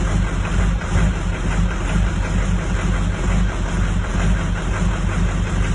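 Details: 2004 Duramax diesel at idle: deep idle with an uneven, loping beat and wavering loudness, firing not quite smooth; rough idle, cause not pinned down.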